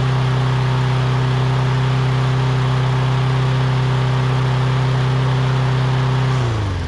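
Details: Lawn-Boy big-wheel push mower with 6.5 hp Kohler engine, test run after carburetor replacement (previously would only run on starting fluid): smooth, even note at steady speed for about six seconds, then winds down cleanly; running healthy.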